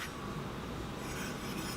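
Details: Heybike Ranger e-bike front disc brake; faint scraping swish each wheel turn as pad brushes the rotor; fixed by backing the caliper adjuster off about 1/8 turn and squeezing the lever to true the caliper.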